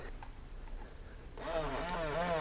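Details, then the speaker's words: New replacement fuel pump for a 2002 Ford Focus crank-no-start, bench-tested briefly out of the car: quiet, then a sudden steady high whine with slight waver that keeps running; the pump works, though it later proved the wrong part. "so we're just going to test this real quick just to make sure that this new pump is"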